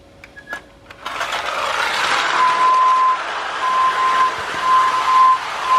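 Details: 1930s Marx Mercury with a whistler clockwork motor, after filing the pawls to stop the sprocket slipping: a fast, even whir with a thin whistle, pulling a tender, a gun car and a caboose. It runs strongly and sounds healthy.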